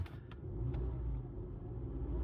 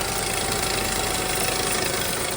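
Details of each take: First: 2009 VW Rabbit 2.5 five-cylinder (07K), manual, after tightening a leaking vacuum pump and topping up oil that had been pouring out: first test idle, low smooth even rumble, no knocks or ticking. Normal idle. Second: 2009 VW Rabbit, 2.5 five-cylinder 07K, manual, whose vacuum pump was replaced by a dealer, run up with fresh oil while leaking oil: a steady ticking knock nearly four times a second over a harsh idle; fresh oil at the vacuum pump screws.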